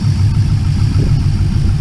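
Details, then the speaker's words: 2001 Pontiac Trans Am, LS1 aluminum-block V8, 101,000 miles, long-tube headers, idling: deep even rumble with soft dull knocking of mild piston slap, considered normal for this engine. "you can definitely hear some piston slap but like i said that's not um abnormal for an ls1 aluminum block with steel cylinder sleeves i guess they just kind of make that sound"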